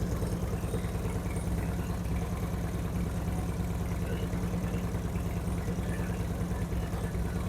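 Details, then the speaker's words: 2008 Harley-Davidson Street Glide with Screamin' Eagle 255 cams, second start after readjusting a pushrod: low, even loping V-twin idle with no ticks, knocks or clunks; rev-ups faster and crisper than before, engine healthy. "It definitely sounds better in person. I don't know what you can hear through the microphone difference wise, but it definitely sounds better in person, especially the rev ups are a lot different than it was before. They're a lot faster, crisper this time, so no noises, no abnormal noises now."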